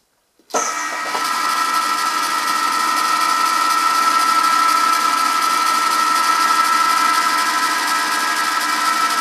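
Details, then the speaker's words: Ariston lathe spindle running after the front spindle bearing was scraped in: loud steady machining hum with a constant high tone, much quieter run, the previous clattering gone; still to be run in and play re-measured. "hier kann man das jetzt ziemlich gut hören der Lauf ist viel ruhiger das plackern ist weg"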